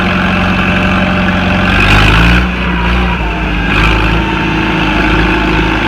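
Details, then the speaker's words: Farmall Super C tractor, started after sitting two years: steady even idle with smooth low thump, no knocks or misses, settling as it warms while charging the battery; running healthy. "guys I don't know if you heard me but right now I'm just letting it sit here oh it's handling now that [Music] like nip sit here and it's charging the battery while it's running"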